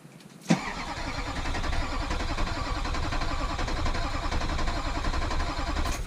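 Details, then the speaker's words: Rebuilt rollover vehicle after rewiring: a click, then six seconds of steady starter churning that never fires; crank no-start because the fuel pump wasn't plugged in. "oh wait pump fuel pump isn't plugged in all right let's get it primed up"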